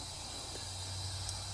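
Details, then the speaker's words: Brand-new, never-run Briggs & Stratton 500 mower engine that wouldn't start, during leak-down test: soft steady air hiss over low hum, heard at oil cap/breather; air leaking past unseated rings before break-in. "what's happening is you know you have to break in an engine so you might be getting a little uh leakage past the rings until they seat and whatnot"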